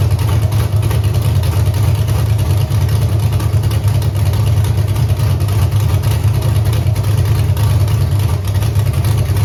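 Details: Camaro with Holley EFI 5.3 LS V8, closed loop off, wideband suspected: deep, loud idle with an uneven, lumpy beat around three pulses a second; rough idle, likely a misfire.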